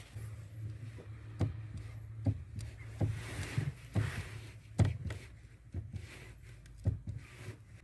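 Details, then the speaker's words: VW Passat B3 (35i) clutch pedal worked with engine running after applying penetrating lubricant to pedal friction points; only soft scattered thuds, the former crunch/creak gone. "хруст исчез теперь проверяю после того как используя жидкий ключ местах трения педали сцепления если характерный хруст как слышно хруста нет"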